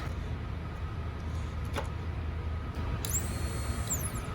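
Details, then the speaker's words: New replacement fuel pump for a 1994 Jeep YJ bench-tested before installation; a steady low hum with a thin constant whine, no surging or rattle, and it runs normally. "hey makes all the right noises"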